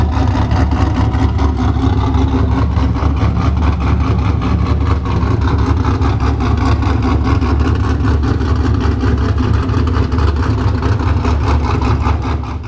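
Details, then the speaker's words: Cammed LS V8 engine-swapped car idling after troubleshooting the swap wiring (trigger box power suspected as the problem); loud, choppy, lumpy lope typical of a healthy cammed LS. "let's let it close out on a very nice ls motor cam sound"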